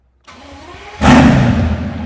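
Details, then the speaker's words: Mercedes S65 AMG M279 V12, first start after a full rebuild following oil starvation lockup: under a second of cranking, then it fires cleanly and holds a strong, even, deep idle; healthy normal start. "And she sounds sweet and amazing. Ho, ho, ho. I think this thing needs straight pipes."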